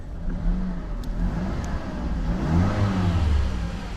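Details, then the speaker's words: 2011 Mazda CX-7 with a used replacement engine, revved after clearing stored codes: clean blips rising and falling smoothly with no rattle or misfire, normal healthy revving. "sounds good sounds [Music] healthy"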